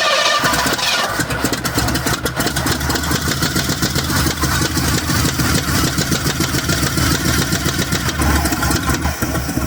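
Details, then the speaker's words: 1966 Pontiac LeMans V8 starts and settles into a loud, raspy idle with sharp puffing ticks; header gasket keeps blowing out at the side, causing an exhaust leak. "My header gasket keeps blowing out of the side. I don't know what's going on, but that's part of the issues I need to deal with. So, as you can hear, that thing's real loud."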